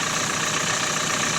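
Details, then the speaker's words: Renault Megane 4 1.5 dCi diesel idling after an experimental fix of the knocking crankshaft damper pulley, phone recording: even idle with a soft steady rustle, no knock or rattle on top; knock gone, engine sounds healthy. "А сейчас вот здесь как телефон передаёт, не знаю, но шелестение двух только дизеля. Никаких посторонних супор."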